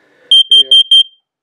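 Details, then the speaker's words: First Alert plug-in carbon monoxide alarm with battery backup, test button held: it cycles, then gives four quick, ear-piercing high beeps and falls silent, a normal self-test. "to test it you just hold down this button it cycles through and then it chirps it and it is ear piercing"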